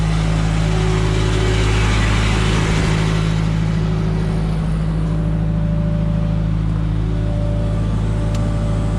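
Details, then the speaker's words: Ford LRG 425 engine on a Genie S40 boom lift after timing belt and tensioner replacement, run for about 20–30 minutes and restarted several times. Smooth, even idle with no ticking or knocking. Normal idle. "Well, she's been running for about a half an hour, 20 minutes, I don't know, and sounds smooth. Everything sounds good."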